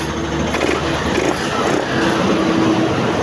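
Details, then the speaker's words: Yamaha NMAX version 1 that wouldn't start, running after troubleshooting, throttle blipped: quick revs rise and fall cleanly with no stumble or popping; responsive, no misfire. "So try natin kung pagka ni h siya mamamatay Okay naman responsive hindi si hag Wang palya responsive yung ating"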